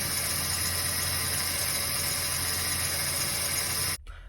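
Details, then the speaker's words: Jeep Cherokee idling: loud steady hiss-whine from the power steering pump, fluid level found too low with a wet power steering hose leaking; owner fears the pump may be damaged, topped up the fluid hoping the whine stops. "pompa wyje jak słyszycie także ona pewnie dostała trochę coś niestety to czego dźwięku być nie powinno który słyszycie a także może troszkę za późno się zorientowałem że ten poziom płynu Jest za niski"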